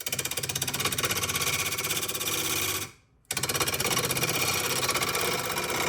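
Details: Wood lathe cutting a punky spalted oak bowl: fast buzzing rattle during the cut that briefly stops and resumes; workpiece moving on its wood screw mount.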